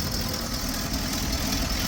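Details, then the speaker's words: 1977 GMC Eleganza II motorhome, 455 cubic inch V8 with Edelbrock carburetor, heard inside the coach at the motor access hatch after a new exhaust donut install: deep, even idle, no ticks or puffing; exhaust leak cured. "And it is muffling, because obviously you can hear me in here. And she's just purring right along like a little kitty, like a 455 cubic inch kitty."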